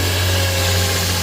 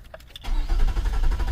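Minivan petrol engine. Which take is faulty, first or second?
second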